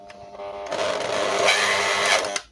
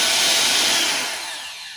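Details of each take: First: Dirty, greasy Bolde Super Mix Turbo hand mixer on 220 V runs in two bursts with a harsh, gritty whine; technician suspects a damaged coil before disassembly; finding is burnt armature, worn brushes and gearbox. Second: Bolde Super Mix Turbo mixer after motor and gearbox repair, 220 V, turbo test: smooth even high-pitched whir at full speed winding down cleanly; normal motor run.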